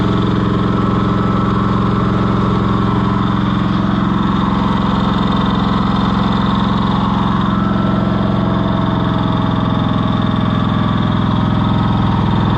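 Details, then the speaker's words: Cushman Truckster auction find, small engine idling after getting it running: steady, even idle with a low thump about twice a second and no misses or knocks, running better than before. Normal idle. "that is so cool it's running [Applause] better I hate to shut it off"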